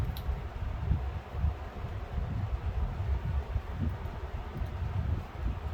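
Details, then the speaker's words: Dominion 20-inch electrically reversible box fan, model 2075.4, circa 1960-61, replacement cord, running on low: soft, low, even whoosh with gentle swells and no grinding or clicking. Grills a bit buzzy, otherwise quiet and healthy. "Grills are a bit buzzy, but otherwise the fan's fairly quiet."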